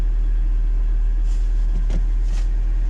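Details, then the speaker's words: Newly bought used Mercedes W202 just started; low even idle rumble with no ticking, knocking or hunting; starts fine; normal idle. "let's see if it starts oops well the the automatic thingy doesn't work on it but starts fine"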